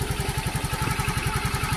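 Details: Yamaha FreeGo scooter after ECU replacement (it died after a pothole, with broken wires and lost ECU ground): quick even putter about ten pulses a second, steady with no stumbles; normal idle.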